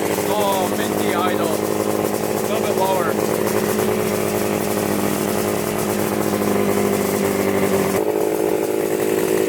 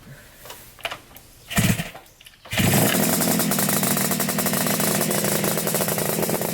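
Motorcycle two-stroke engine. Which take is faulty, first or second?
second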